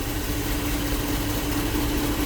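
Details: 2008 GMC Yukon 5.3 V8 after repair: burned wire bypass in injector fuse circuit replaced with proper fuse, restoring injector power and fixing misfires; smooth, even low rumble, no stumbles, clean steady idle.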